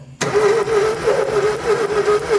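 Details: 2000 Ford Fiesta with a Zetec Rocam engine that alternately fouls spark plugs, cranked during a spark test with spark confirmed at cylinder 3. The starter whirs evenly and wavers with no firing, so it cranks but won't start; ignition is seemingly not the problem.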